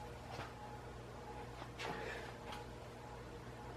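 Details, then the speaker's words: Stratofan industrial ceiling fan on a solid-state speed control instead of a capacitor system, at low speed. A quiet, steady low hum; a mild motor buzz, judged acceptable for a living room. "yeah definitely hear that buzzing you can but it's not actually bad hmm oh yeah um a mild buzzing"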